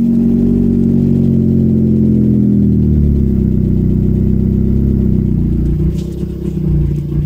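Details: Renault 5 GT Turbo, F7P engine, first start after bottom-end rebuild: strong, even engine note rising with revs and settling back, with no knocks or rattles; engine running normally.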